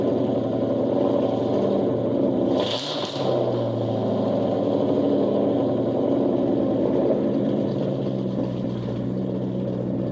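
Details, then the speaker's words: 2000 Ford Mustang GT with 4.6 V8, said to be stock but owner thinks it's straight-piped: deep, loud burble after start-up settling into a lumpy, throaty, barely muffled idle; loud exhaust, cause suspected, not confirmed. "What I was told, the engine's stock, but I think it's straight piped."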